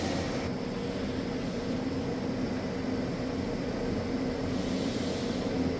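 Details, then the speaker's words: 2015 Ford F150 V8 (Coyote), 120,784 miles, fresh Valvoline VR1 20W50 conventional oil replacing Restore and Protect; mic on front of toolbox; cold start settling into steady even idle, smooth low rumble, no misses or knocks. Normal cold start. "Well, the engine seems to like it so far."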